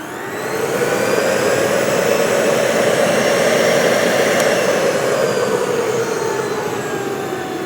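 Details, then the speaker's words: Salvaged double-insulated juicer running once its safety latch switch is engaged: a steady, smooth high-speed motor whir that swells as it spins up and holds an even pitch; the motor and bearings sound fine. "Sounds very powerful. So, obviously the safety switch works well. The motor sounds good. Bearings sound fine."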